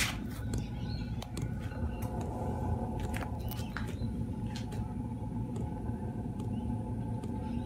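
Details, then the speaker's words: Cheap eBay 12V 5kW diesel air heater on a bench test at start-up, glow plug heating, then the pump starts: steady low fan rumble with sharp ticks about every half second as the dosing pump primes; combustion follows, drawing about eight amps; normal start-up. "okay start a pumping the pump started pumping"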